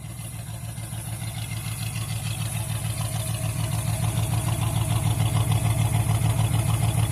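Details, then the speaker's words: 1978 Ford with 351 Windsor V8 and RV cam, steady manifold vacuum, runs strong off idle: deep idle with constant wup-wup pulse about three a second matching rpm, like a dead cylinder; power steering pump suspected, no compression test yet, cause unclear. "What the fuck is that fucking noise? Honestly, it sounds like it might be coming from the power steering pump, but it's in sync with the RPMs, like a dead cylinder."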